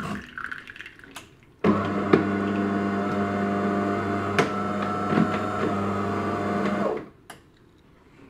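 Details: DeLonghi ECAM bean-to-cup coffee machine after cleaning a sticking brew unit that had made loud cracking noises; steady even motor hum for about five seconds with no knocking, brew unit now moving normally.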